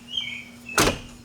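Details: Ford F-series pickup (1987–1997) door closing after its striker bushing was replaced and the striker adjusted: a single solid thunk as it latches cleanly, with no rattle or second knock. The latch closes normally.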